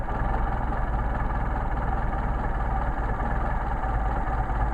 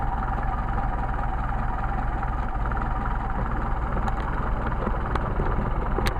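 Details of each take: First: Mercedes 190SL with rebuilt, matched Solex carburetors (#62468/62474) being tuned: idle set near 500 rpm, then idle mixture screw turned in until the idle degrades and the engine runs rough, before backing out to smooth. Low, pulsing, stumbling idle. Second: Engine with rebuilt matched 190SL Solex carburetors after idle speed and mixture screw adjustment; even, steady idle with a smooth low rumble and no misses, hunting or knocks, a healthy, properly adjusted idle.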